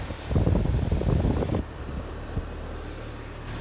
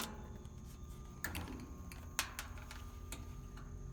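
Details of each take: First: HVAC outdoor condensing unit on a no-cool call: steady low condenser fan rush with even airflow, no rubbing or bearing noise; fan moving plenty of air, coil not bad. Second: Outdoor AC condenser unit of a no-cool system: low steady hum with a few clunks, motor never spins up; start capacitor found swollen and bad.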